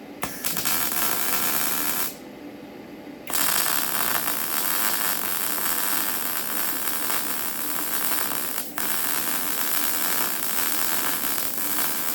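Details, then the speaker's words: YesWelder MIG-250 Pro welding at about 175 amps with wire speed turned up: even, crisp sizzling crackle held steadily for seconds with short breaks between beads; stable, well-set MIG arc. "I mean, you can hear the welder. You can hear it right now. Just how good it is. It's crispy and yeah, no surprising, to be honest."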